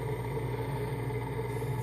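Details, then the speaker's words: Large three-phase AC induction motor from a Mitsubishi forklift on a home-built inverter controller, first trial run, rpm unknown with no encoder; steady low hum with a few fixed tones, slow even turning, resonant board may exaggerate sound; normal inverter motor whine at low speed. "you know this this board resonates so I'm pretty sure that what you're going to hear in this video is a lot louder than what I'm actually hearing um she's spinning around"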